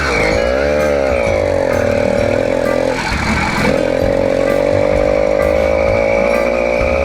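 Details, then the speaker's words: Newly ported 80cc two-stroke motorized bicycle, not fully warm, needle on richest setting, near full choke: uneven burbling note with sagging pitch, drops out and recovers; owner suspects rich four-stroking, bogs heavily when pulling off. "i'm thinking it's four stroking when i'm on it a little bit but then you see when i take off it bogs down really heavy"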